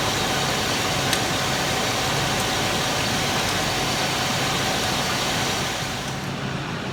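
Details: 2000 Chevy K2500, 5.7 Vortec with CSI injection, after the distributor was reinstalled and timing adjusted from -6 to zero: even, steady idle with no misses or stumbles, running smoothly.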